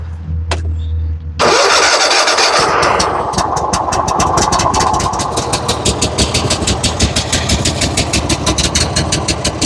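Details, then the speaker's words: Gravely zero-turn mower, Kohler 7000 series engine, under 100 hours, weak and puffing black smoke: uneven, lumpy beat with a rich note that sounds choked though the choke is off; cause was a missing carburetor main jet. "all that black smoke coming out. Sounds like the choke is on, but it's not."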